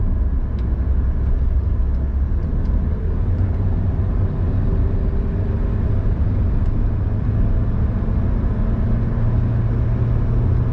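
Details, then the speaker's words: Car started after a reset procedure with a ThinkDiag scanner (ignition off, then on): a low, even idle rumble holds a steady pitch throughout with no hunting or surging, RPM back to normal; normal idle. "Bila dah siap, kita start kereta. Tengok RPM dia tak mencanak naik. RPM dia kembali normal."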